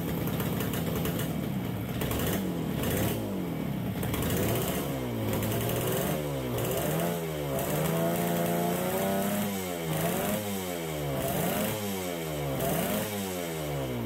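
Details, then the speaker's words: 1969 Yamaha DS6 twin two-stroke on fresh premix, warming up after its carburettors were reassembled with new float bowl gaskets: blipped revs rise slowly and sag, muffled and hesitant, won't idle, and choke makes it worse. Compression feels good. Suspected carburettor problem. "so there's definitely something going on with our carburetors we don't want to idle we're very very boggy when we get on the throttle"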